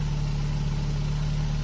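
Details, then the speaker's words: Vauxhall VXR after removing two-week-old iridium plugs (gapped 0.07, filthy and oily, made car run funny) and refitting original plugs: steady even low idle rumble, no stumbles; running right again, normal idle. "so the car's running right all right now um i can't hear it doing what it was doing"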